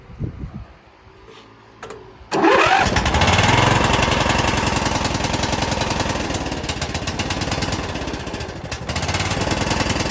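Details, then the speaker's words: Bolens riding mower after carb cleaning (previous owner put diesel in it), started on full choke: cranks, catches, then runs loud with sharp raspy popping on each firing; exhaust leak suspected, not confirmed. "well it's running but it's making a lot of noise sounds like it's got an exhaust leak so the motor runs but we've got another issue"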